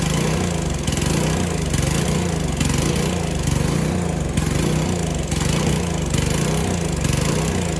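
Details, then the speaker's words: Aging gas power washer small engine, already serviced with oil change, new spark plug and cleaned carburetor, still making the same noise: steady idle surging in a soft rhythmic swell about once a second; cause unclear. "As you can tell, my power washer is getting old. I've serviced it, I've changed the oil, I've changed the spark plug, I've cleaned the carburetor. But no matter what I do, it keeps that sound to it."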